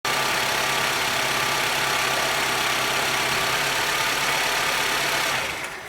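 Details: 2008 Honda Civic FD with the 1.8 R18 engine, running with the handbrake deliberately engaged. A steady hiss, a low hum and faint uneven chatter, said to be the sound of worn-out tensioners and engine mounts.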